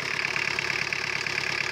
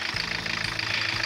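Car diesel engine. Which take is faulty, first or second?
first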